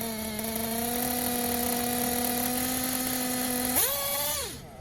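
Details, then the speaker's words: Tekno buggy with a Blok 21bm nitro engine, bottom-end needle leaned after earlier hesitation on punch from 10–15% throttle: steady high idle buzz, then a crisp, snappy rev and clean drop back; clean idle and throttle response, bottom end tuned right. "so took another decent bite you can hear there that it's getting more snappy sounding a lot better"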